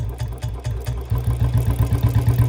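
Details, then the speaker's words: Royal Enfield Bullet 350 in gear and gaining speed: a low engine thump with a rhythmic whirring rattle that keeps pace with the wheel, a dry, unlubed drive chain that is loudest at one spot. "Check कर लो भाई, चैन की noise check कर लो कितनी noise आ रही है चैन की। यहाँ से ज़्यादा आ रही है, ठीक है।"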